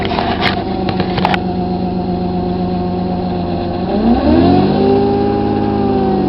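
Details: Avenger 98 engine: light irregular ticking over the idle hum, then a smooth rev that climbs and holds; the owner is trying to find the cause of this odd noise.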